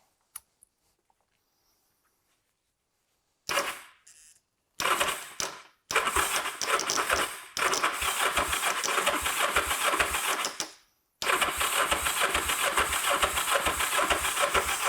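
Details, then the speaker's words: Kawasaki GPZ 500S, left outside three to four years, with fuel poured directly into the engine because the tank is full of rubbish: short cranking bursts that never catch. Someone suggests it needs more fuel. "someone's telling me I need more fuel in there"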